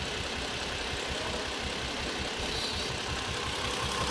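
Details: Toyota Avalon with engine misfire complaint: uneven stumbling idle with irregular low thumps under a steady hiss; misfire at idle while injectors and ignition coil signals are tested.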